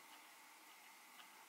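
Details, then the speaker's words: Eachine Tyro99 5-inch drone front motor spun by hand after about 10-12 flights: faint even airy whir with light ticks, still smooth and quiet, while the rear motors grow noisy, suspected poor-quality bearings. "all the motors initially were very smooth and there's no it'll hear us on camera let me spin this front murder it's pretty quiet"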